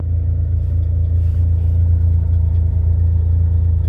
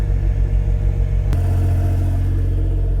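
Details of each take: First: Autozam AZ-1 (Suzuki Cara) at about 60°F, oil pressure light slow to clear: quiet at high idle, but put in reverse the idle drops and a tinny metallic rattle appears; owner suspects a heat shield, unconfirmed: metallic rattle at idle. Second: Autozam AZ-1 (Suzuki Cara) at high idle, about 60°F outside: a smooth, even low hum with no rattle, although a rattle was heard at low rpm while the oil pressure light was slow to go out.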